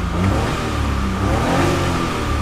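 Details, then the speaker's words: 1985 Suzuki Every kei van, 550cc, 5-speed, 2WD, auto choke: engine revved on walkaround climbs and falls smoothly without knocks, hesitation or rattles, with a faint fuel pump hum from the back; normal healthy revving. "can see revs really, really smoothly. You can hear the fuel pump in the back."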